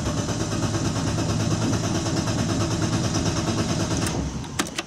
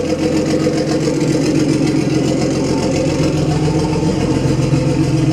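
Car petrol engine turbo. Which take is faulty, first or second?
first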